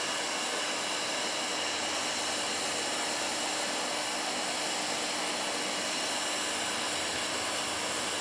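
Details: Firstess (Yeswelder) DP200 in lift TIG mode, 125 amps on 1/8 in plate, manual shield gas valve: steady, even hiss with no pops or sputter; arc burning smoothly and holding consistently.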